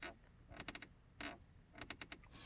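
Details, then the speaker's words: Porsche Cayenne interior trim panel creaking when pressed, as heard over potholes and general road; sharp plastic creaks in quick clusters, caused by play and a small gap underneath the panel, fixed with felt material. "it's a creaking noise which when when you hit potholes um or just general road you would hear it sounded just like"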